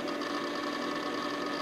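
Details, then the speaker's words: Micron Home MPC first boot since the factory, booting its OEM Windows 95 install: steady drive whine with rapid, loud chattering seek ticks; owner unsure whether this hard drive seeking is normal, suspects the drive may be dying, not confirmed. "If you can hear that hard drive seeeking, I don't know if that's quite normal. If this hard drive is dead, I'm not too broken up about it."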